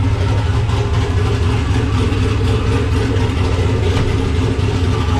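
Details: Nissan Patrol Y60/GQ SWB with a turbo LQ9 6.0 iron-block V8 (Camtech turbo cam, Holley Terminator X), dead cold after sitting two days, exhaust not yet complete. Deep, choppy, loping big-cam idle, steady and even, normal.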